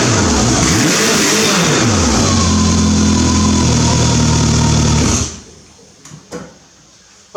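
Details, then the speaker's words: W.A.R. Corsair replica exhaust, after wrapping the muffler whose bottom was thought to be vibrating (internal baffles not welded): smooth, even drone with steady low pulses, no tinny rattle, then a clean shutdown. Tin-canning gone. "the tin canning sound seems anticipated i don't really hear it now i think wrapping the muffler i think the bottom of the muffler was vibrating"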